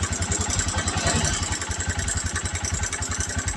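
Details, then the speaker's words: Verza 150 motorcycle engine at idle sounding rough: fast even metallic "tek-tek" ticking about three to four a second; cam chain or its automatic tensioner suspected, tensioner to be checked before disassembly. "kita prediksi ini bisa rantai kamprat atau otomatisnya ini sudah bermasalah teman-teman"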